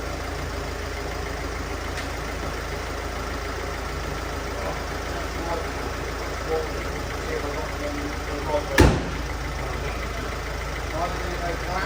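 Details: 2010 Mercedes Vito, OM646 diesel, after replacing two leaking injector seals and cleaning the carbon: steady, even idle with soft, regular clatter, no chuffing or puffing; runs smooth and healthy.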